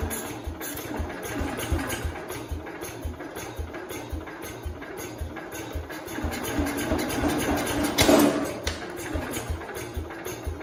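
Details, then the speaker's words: 1969 Cub Cadet 105 single-cylinder engine after reassembly, had run on the bench, throttle applied: uneven thumping about three beats a second, stumbling and surging. Rough running; owner suspects flooding. "it seems like we're having some kind of flooding issue which doesn't make sense how is it it started up on the bench you guys saw it we started it up and it ran it tried to start"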